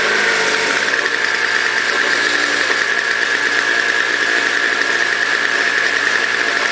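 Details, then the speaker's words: Toro CCR 2000 single-stage snow blower, 4.5 hp two-stroke, after cleaning; smoked from very old gas backed into the cylinder; warming up: high buzzy note at steady pitch, no surging or dropouts; normal running. "so as you can hear it's running great um the one it was smoking smell like really really old gas"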